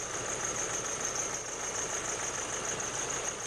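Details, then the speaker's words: 2008 Nissan Navara D40 2.5 common-rail turbo diesel, in for rough running, heavy black smoke, no power when cold: idling with uneven clatter and irregular stumble; definite cylinder misfire, before scan-tool power-balance test. "it's running quite roughly. Definitely have a cylinder miss."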